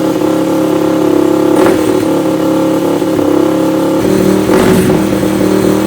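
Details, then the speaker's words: Yamaha YFZ450 ATV rebuild with rejetted carb and spark-arrestor exhaust; surging uneven revs with sharp exhaust pops and flame at the end, idling somewhat high; owner thinks jetting needs more work. "It runs with a little flame to boot at the end. So yeah, we're gonna have to do a little more with the jetting, I think, and a little more with that, but it idles sort of high."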